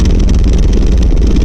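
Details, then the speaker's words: 1990 Volvo 740 while driving, rattle progressively worse over six months: deep steady drone with a fast loose rattle on top; the driveshaft is rattling, found to be the center driveshaft support and/or its bearing. "But if this helps you diagnose anything at all, what I found out is that it is the center drive shaft support"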